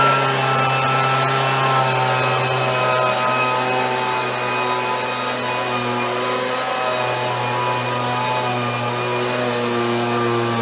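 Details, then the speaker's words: Stihl BG72 two-stroke blower, about 30 years old, rebuilt, now warmed up after a choked cold start: steady high buzzing note that holds even without surging or dropping out; runs much better when warm, normal running. "Runs much better when it warms up."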